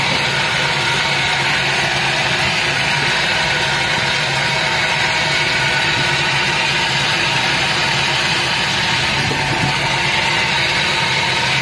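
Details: Daihatsu Gran Max minibus, K3DE 1.3 engine, noisy and lacking power, weaker when hot: idle under heavy hiss with a loose, uneven churn and stinging exhaust smoke; rough idle, cause not pinned down, injectors suspected before engine teardown.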